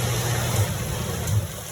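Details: 2009 Sundance Maxxus spa jet pump after tightening a loose cap that was spraying like a fountain: steady low hum with water rushing, no spitting or sputtering; pump running normally.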